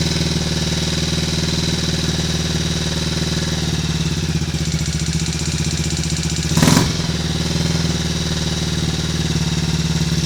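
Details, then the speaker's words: Triumph Tiger Cub single after engine rebuild (new old stock conrod), first start just after clearing, alternator off: slow lazy idle, soft exhaust note, brief blip; ignition timing seems a little retarded, to be strobed later. "I think we might be a little bit retarded there on the ignition timing. We're running."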